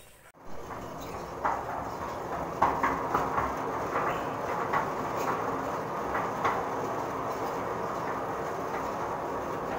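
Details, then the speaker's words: Concrete bagger mixer after preventive maintenance, with one side tightened and the other loosened for some play. Even drum rumble with only a few scattered light clicks and no heavy clatter; previously noisy, now fairly quiet. "Kaya mga kalodi, ayos na. Medyo tahimik na siya. Dito na dati na maingay. So, halos nawala yung maingay na tunog."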